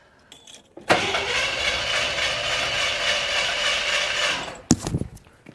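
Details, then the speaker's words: Suburban engine suspected of blown head gasket, compression test on cylinder number four; starter spins about 200 rpm for four seconds without firing, reading just under 100, the lowest yet. "I think that's the lowest one yet. I think it's just under 100."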